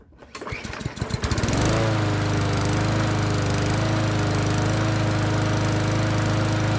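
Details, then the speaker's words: Customer's lawn mower that wouldn't start after winter storage, after carburetor service, fresh fuel and primer; a few sputtering pulls, catches within two seconds and settles into an even, steady drone, running like new. "all right so now it's been uh ran for three or four minutes ran like a champ probably as good as it did the day it was new"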